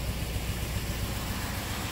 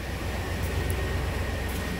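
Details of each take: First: 1997 old-body-style work truck idling with no codes and a strong fuel smell: low rumble with uneven, stumbling beat and irregular dips from one dead cylinder; number two injector pulsing but not delivering fuel, lean misfire, needs new injector. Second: 1997 work truck after replacing the number two injector that caused a lean-cylinder misfire; steady, even exhaust rumble at idle heard at the tailpipe, no skips, misfire gone: normal idle after repair.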